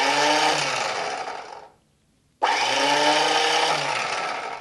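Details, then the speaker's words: 1972 Harley XLH that hasn't run in 34 years, starter powered straight from the battery with a jumper cable to its positive terminal: a clean electric whine winding down with no cranking beat. The starter spins freely but does not engage. "You know, right now the starter spinning, but it's not engaging."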